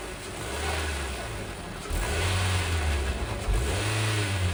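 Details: 2019 Honda Civic after replacing cracked drive belt, noisy auto tensioner and idler pulley: steady low engine hum with slight rev lift, no chirp, squeal or rattle; normal quiet idle after repair.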